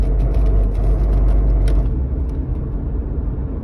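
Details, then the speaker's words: Toyota RAV4 accelerating around 30–50 mph: deep, steady growl or burr under road noise from rear differential/transfer case bearing, said not to be a safety or mechanical problem; shifting from D to 3 stops it. "but it's a kind of a growling sound or a burr sound well it turns out it's a problem with the it's a sound coming from the bearing in the rear differential or what i think they call the transfer case"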